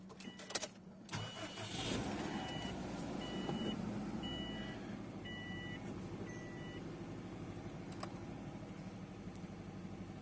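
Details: 2005 Subaru WRX wagon after valve cover gasket and spark plug replacement on both sides: starter cranks briefly, engine catches cleanly and settles into quiet, even idle with dash chimes; healthy start.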